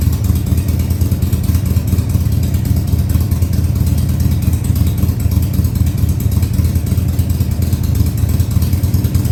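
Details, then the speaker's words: Harley-Davidson Sportster 1200 Custom (stated as 2000 and 2003), first start after sitting about six years, run at high idle: deep, even V-twin lope with no misses, knocks or ticking; running normally. "now i'm going to try i'm going to try starting it and getting it to idle for you maybe high idle for now"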